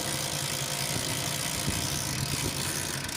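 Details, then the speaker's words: Hero HF Deluxe BS6 bike kick-started after giving the ECU a ground: catches at once and settles into a steady, even idle; self-start still not working despite full battery. "तो हमारी गाड़ी देख पा रहे हैं एकदम easily start है"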